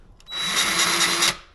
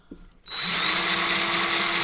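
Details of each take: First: Harbor Freight Bauer 20V electric grease gun, first use: about a second of high motor whir with a faint steady cycling pulse instead of plain pump running; pump stroking normally and grease on its way. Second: Harbor Freight Bauer 20V electric grease gun on first use. Constant high, airy whine stays unchanged and unloaded, not picking up any grease; the pump is running dry rather than making a cycling sound.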